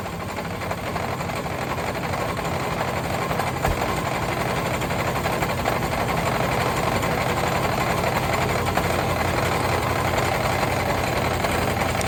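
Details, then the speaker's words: Long-parked parts truck first running on old gas with two-stroke mix added to the cylinders: steady idle with a rough repeating knock about four a second in the low rumble; suspected broken or spun rod bearings, oil possibly milky, not confirmed. "i'll be dead it has a lot of bottom end noise for sure uh i don't know oh man that sounds like there is definitely some broken or spun rod bearings not just one but a couple"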